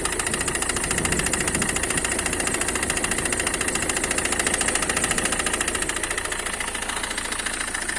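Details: Citroen C5 2.0 HDi diesel at idle: steady, fairly regular knock near two per second over the clatter near the right front wheel; not the high-pressure fuel pump as suspected, but a failing crankshaft damper pulley.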